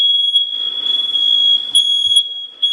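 A piercing high-pitched alarm tone holds almost continuously with brief dips; the smoke detector is in full alarm.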